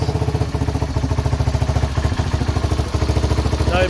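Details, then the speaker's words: 1978 Honda XL250 single-cylinder barn find, after rebuild with fresh oil and tappets set: steady even thumping idle, clean beat, no top-end tapping, earlier bad noise gone; normal idle. "bad noise yeah i feel so much better now now set the topics on it it sounds great"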